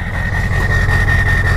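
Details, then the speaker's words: Ford 6.0 Powerstroke diesel truck with stock exhaust: choppy, uneven idle that lopes and won't settle, tailpipe shaking, also choppy when revved, indicating one injector down. "see the tail pipe shaking a little bit that's an indication of one injector B uh down and when you rev it up you can hear it as well"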